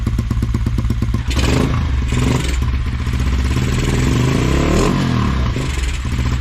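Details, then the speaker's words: Single-cylinder race bike running rough with an uneven, lumpy beat and clattery surges, run with no air filter on the carb; owner suspects the missing filter and will try a paper filter before looking at jetting. "so I just tried running the nippy cup with no filter it doesn't seem to like it so I'm just gonna put on a paper cross filter I've taken from my bike and if it runs a bit better then I'll order one up"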